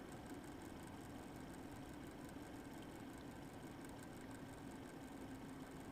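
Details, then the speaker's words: Eight-year-old MSI Radeon HD 7970 Twin Frozr III with its original worn fans, during and after a benchmark: steady whooshing with a faint wavering tone and uneven pulsing, growing more irregular as the GPU cools; the fan is failing. "so i'm going to start the test you should be able to hear the irregular fan spinning separate from the coil wine"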